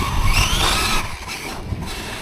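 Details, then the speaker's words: Traxxas X-Maxx 8S RC truck on 20/46 gearing with heavier Pro-Line body and Sledgehammer tires: harsh high squealing grind over the motor under full power, dying off after a second; pinion-to-spur mesh slipping, pinion later came off the motor shaft. "it's still making contact cuz look it's still going quite quite quick but when you give it full power so it sounds like the mesh has come slightly away for whatever reason"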